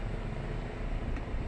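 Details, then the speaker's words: Nissan X-Trail T30 automatic after repair for a very hard clunk engaging R (D was normal), shifting back into D: steady low idle rumble, no clunk or jolt; transmission engages smoothly, clunk now gone. "Nah, alhamdulillah untuk maticnya sudah tidak jeduk lagi seperti tadi awal ya. Awal tadi sangat keras sekali untuk bantingkan jeduknya, sudah seperti itu untuk masuk R. Kalau masuk D normal."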